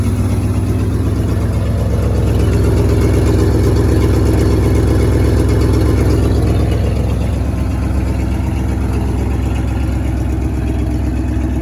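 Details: 1963 International Harvester Loadstar 1800 tandem-axle truck, carbureted, first start in 20+ years: deep, even idle pulse, steady beat, no knocking or misses; oil pressure gauge not reading but no knock, air brakes building pressure; normal idle.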